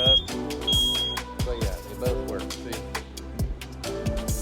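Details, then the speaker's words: Smoke alarm test beside a newly installed diesel heater: short, high, piercing beeps over background music; alarm works properly, tested weekly. "as soon as it starts happening that will go off and yes it does work I test it weekly boom good"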